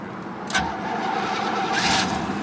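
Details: 1976 Cadillac Seville 5.7L V8 cold start: engine catches quickly on the key with a short burst, then settles into a steady, even idle; warning lights go out, a healthy start.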